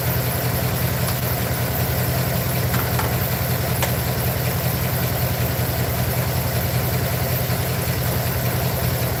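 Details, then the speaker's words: Truck with a low, heavy idle and an uneven, stumbling beat with no steady rhythm. Owner feels it got worse and plans to pull all the plugs. Misfire at idle, cylinder not yet found. "I'll probably probably pull all those plugs and check them all camera back I feel like it got worse to be honest"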